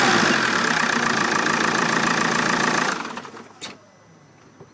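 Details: Vauxhall Vectra 1.9 CDTi after a new starter motor fixed hard/no starting: diesel clatters evenly at idle with a steady light knock rhythm, then shuts off cleanly; healthy, normal idle.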